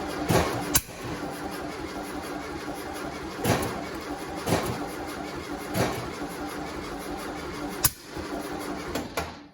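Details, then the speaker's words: 1972 VW Westfalia on its first start attempt in 13 years, with a new 34 Solex carburetor kit and redone fuel lines: it cranks without catching, with sharp irregular pops. Flame backfires out of the right carburetor and puffs come from the tailpipe, so spark is present. "got a flame come back out of the right carburetor okay yeah and it's steamed then there's smoke steam something rolling out"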